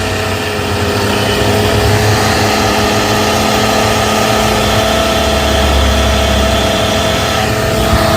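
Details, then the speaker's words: Car engine running, listened with metal bar stethoscope: steady mid-pitched whine and rough hum loudest at alternator; worn alternator bearing, alternator and some pulleys to be replaced. "the bearings right here it sounds the worst coming from right here right on the alternator so i'm going to replace that alternator and a few other pulleys"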